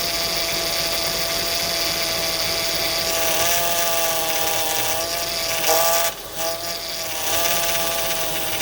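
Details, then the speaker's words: 2004 Acura TL after power steering reservoir replacement (old one cut by serpentine belt, leaking fluid), engine idling while wheel turned left to right to bleed: steady high whine wavering in pitch; air bubbles in power steering fluid. "Now we're gonna turn the steering wheel left to right to take out the air bubble. So I see some air bubble."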